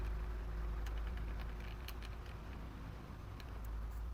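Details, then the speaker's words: Electric fan running and oscillating: steady hum with uneven ticking and clicking from rear gearbox; worn oscillation worm gear suspected, to be replaced. "So ito naman ang issue naman nito ay umiikot naman siya. Kaya lang meron kayong maririnig na parang may tumutunog dito sa likod nitong electric fan."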